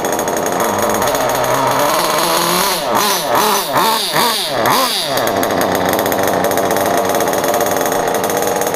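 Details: Kyosho Inferno Neo nitro RC car, pull-start, run indoors in a kitchen: high, buzzy engine running steadily with a few sharp revs up and back down; healthy and responsive.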